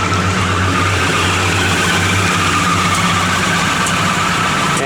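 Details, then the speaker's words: Restored 1968 Plymouth Road Runner, 383 V8 with 727 TorqueFlite, about 10 miles since restoration: a lumpy V8 idle with a faint, steady high squeak from an accessory belt that needs adjusting. The alternator is charging hard. "that belt probably needs to be adjusted. You can hear it squeaking a little bit."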